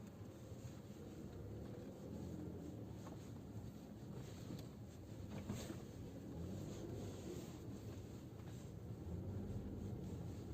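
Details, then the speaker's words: Geely Atlas cabin on rough road after wrapping electrical tape around the rear seatback locks: low, steady road rumble, with the earlier knocking from the rear seats gone. "Ну, как вы слышите, эти стуки пропали. То есть, действительно, проблема была именно в этом."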